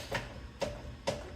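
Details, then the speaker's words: 2003 Honda Accord, about 1,049,000 miles, rear left trailing/lower arms with roughly 800,000 miles: three sharp dry clicks about half a second apart as arm is rocked by hand; worn joint with visible play, arms being replaced. "You'll hear it clicking. I've got a short video about the clicking from underneath the car, but you can see the play in it and the clicking sound."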